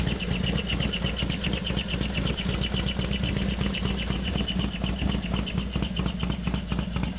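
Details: Harley FXDX V-twin on a completely cold start, not run since the day before: loud, uneven rapid clatter over the lumpy idle; clearly abnormal, source undetermined.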